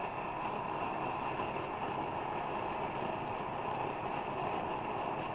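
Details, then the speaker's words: Plumber's pot smelting stove after preheating the generator: even, steady rushing roar with no sputter; transition from raw fuel to vapor burning, still heating hotter. "Hear that transition? That's not raw fuel burning anymore, that's vapor. And it'll still heat up even hotter."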